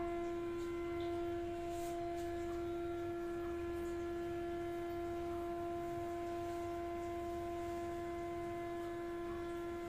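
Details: Loud, steady organ-like humming siren tone with overtones, holding one pitch, heard in the plumbing of an HDB toilet and bedroom; source unknown, disturbing morning and night sleep.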